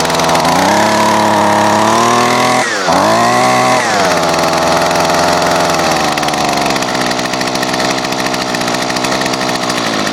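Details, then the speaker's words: Gas string trimmer running cold in freezing weather, not warmed up: high buzzy two-stroke whine that surges and dips before settling at a lower, rougher idle; normal cold running. "Yeah, it's kind of cold out here, so makes it cold starting, and most of my equipment's not really cold-blooded."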